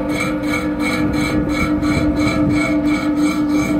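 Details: Fan with a damaged bearing: a steady hum carrying a rough rasping grind that pulses about three times a second.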